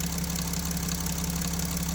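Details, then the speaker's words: Mercedes Sprinter OM642 diesel idle: fast, regular knocking rattle starts as duty goes 36% to 37% and pump output drops; silent at high pump output; knock in the high-pressure pump drive. "И начался вот этот шум. И производительность тоже уменьшилась."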